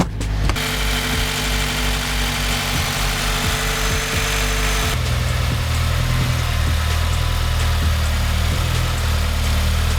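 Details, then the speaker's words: 2017 Subaru WRX at first start after a Cobb Flex Fuel and DW300c fuel pump install for E85, holding a smooth, even idle with no misfire or ticking; fuel pressure is good. Normal idle. "fuel pressure looks good sounds good so I'm gonna go check for leaks"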